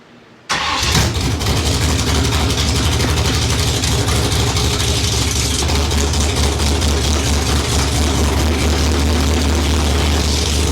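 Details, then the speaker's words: 1972 Ford Maverick with a fresh 317 stroker V8 (forged crank, H-beam rods, Victor Jr heads and intake, Comp hydraulic roller cam 230/230 .598, 4150 750 carb) on its first run, no exhaust yet, carburetor untuned. It fires instantly into a loud, even rumble without misses. Running normally. "all right she's a runner it sounds really good it's the thing's running really really well"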